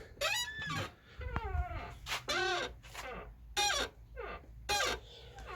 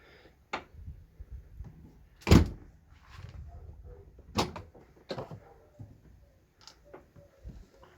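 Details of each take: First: Ford Fusion: repeated high, wavering squeaks and creaks as the tailgate swings, like an old door, from dry tailgate hinges; owner plans to lubricate the hinges. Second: Ford Fusion tailgate after lubricating the hinges with grease behind the trim to cure a creaking squeak: opens and shuts with only soft thuds from the bump stops and latch clicks, no squeak or creak.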